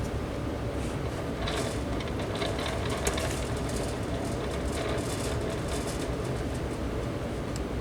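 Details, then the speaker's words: Vintage Sears 9-inch oscillating fan made by Lasko/Galaxy, running on low speed: a hum with intermittent scratchy, rasping hiss from very dry motor bearings. "I want to run it for long with it making that sound it's a very dry bearing sound"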